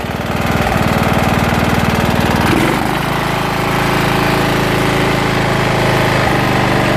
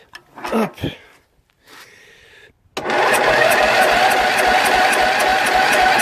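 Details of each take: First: Jonsered LR 13 automatic ride-on mower, Briggs & Stratton 12 hp engine (model 284707, type 014701), after rebuilt simplified wiring: started with starting fluid on a weak battery, now running properly with a loud steady drone, slight dips. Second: Jonsered LR 13 mower, Briggs & Stratton 12 hp, weak battery: after a pause, a labored churn about two beats a second drags without catching; hard, reluctant start.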